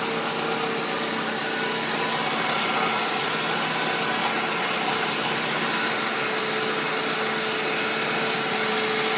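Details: Mercedes C-Class W203 engine 271.946, used contract engine being checked; steady, even idle with smooth hum and no knocks or ticks; healthy normal idle.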